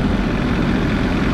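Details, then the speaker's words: Onan CMQD10000 diesel generator, about 20 degrees out, under a 6000-watt resistive heater load: steady, even low diesel drone, whisper quiet with no smoke, knocks, hunting or surging; running healthy under load. "i can put a 6 000 watt load with this heater put that on high and listen to that at 6000 watts still whisper quiet no smoke"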